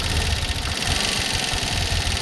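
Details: New 2025 TVS Jupiter 125 scooter at 656 km, loud generator-like engine noise: uneven idle with rapid dry clatter over low thump, loose tappets needing valve clearance adjustment.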